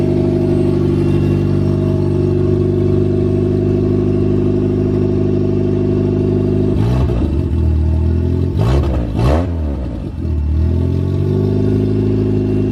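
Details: Nissan B13 Sentra, freshly rebuilt GA16DE on first start: smooth even idle, then quick throttle blips that rise and settle back cleanly; healthy.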